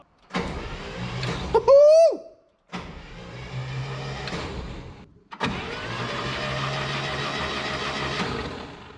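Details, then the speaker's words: Slow, sluggish cranking on a 1967 International Scout long abandoned, first crank attempt without catching; starter drags engine over in long whir, not the fastest spinner, nothing got too hot; compression check to follow, cause not yet clear. "that ain't the fastest spinner I've ever seen."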